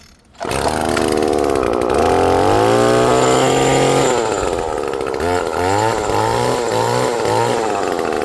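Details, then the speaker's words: About four-year-old Echo two-stroke engine, freshly fueled and primed with four or five pumps: fires on the pull, revs cleanly and blips up and down several times with crisp, even response; runs normally. "My echo. They never fail to start"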